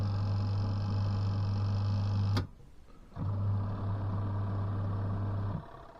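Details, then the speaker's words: Adler small washing machine that hummed but would not run, after refitting the drive belt: smooth low motor hum runs, pauses under a second, then reverses direction; the drum drive now works normally. "Так зараз ще раз я буду включать з ремішком о тихенько як роби чудово"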